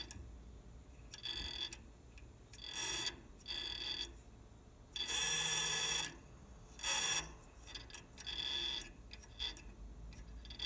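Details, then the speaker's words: Trane heat pump outdoor unit just after compressor shutoff: irregular bursts of fast light ticking lasting 20-30 seconds. Owner suspects refrigerant backflowing past the TXV bypass liquid-line check valve, making its ball chatter; a Trane magnet kit may stop it. "okay just shut the unit off and you can hear that noise so that's the check valve apparently refrigerant is kind of coming back causing this check valve to vibrate"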